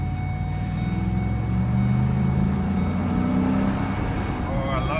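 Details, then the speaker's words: 2013 Ford F150 SVT Raptor 6.2-liter V8 on a test drive after a frame swap and rebuild, pulling away through the gears: deep, even rumble building smoothly with no knocks, ticks or misses; engine and transmission working fine, nothing major wrong. "sound that's that 6.2 liter sound that was a good deal sounds like everything is working pretty good actually nothing major going on here"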